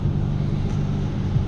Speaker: Чуєте, як гуде? У, ну, короче, якийсь пошипник.